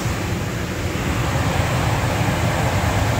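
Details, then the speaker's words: Furnace blower after the humming motor was replaced with a new motor, capacitor sizing considered; smooth steady airflow with an even low drone, the weird humming sound is gone. "I got the new motor R a't so good and most importantly you're not hearing that weird humming sound"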